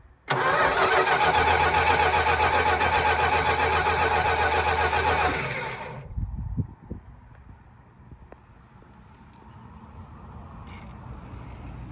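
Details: 1967 Plymouth Barracuda, 273 LA V8, 120k miles, barn find unstarted 20 years, rebuilt Carter BBD carb, good compression test, oil in cylinders: steady, even cranking about four beats a second for six seconds before firing; normal cranking.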